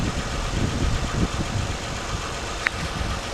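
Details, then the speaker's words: Honda/Acura V6 over 100,000 miles that tapped like a diesel when cold, after replacing the timing belt tensioner: low, even idle with no more tapping; normal idle. "so now my timing is safe to release the tensioner okay so no more tapping noise okay"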